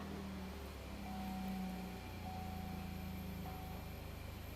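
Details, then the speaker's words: Engine running with A/C system charged to about 200 psi for leak testing: light click and small load shift as the compressor clutch pulls in; normal compressor clutch engagement. "and the compressor clicked on right now and you're not going to kill the system"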